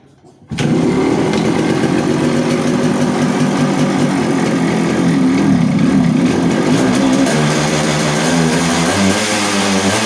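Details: Yamaha RX100 two-stroke, kick-started right after a clutch bell upgrade; fires instantly and holds a fast, busy idle that never drops back, settings changed, carburetor not yet re-adjusted: high idle speed.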